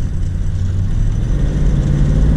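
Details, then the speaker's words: 1993 Chevrolet C4 Corvette, LT1 with new rebuilt engine, driving after fixing plug wires installed in wrong firing order: deep engine note climbs smoothly under throttle with no stumble or miss; misfire cured. "oh yeah that pulls yeah there we go that that is the fix i was waiting for"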